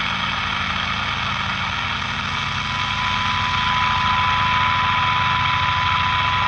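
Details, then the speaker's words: 1946-48 Sparton model 6-26 broadcast/shortwave radio during alignment, trimmer capacitor adjusted; thin steady 1 kHz test tone above soft hum fades in and out with small adjustments; normal alignment response. "all right now it's back in now I'm going to keep going clockwise and it should fade back out"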